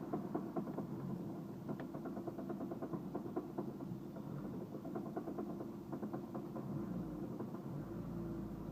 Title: Stall on start then knocking sound